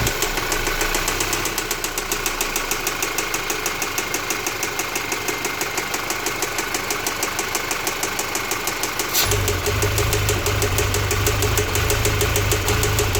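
Sharp, regular ticking knock about three times a second over a steady idle, clearly standing out from the engine's hum.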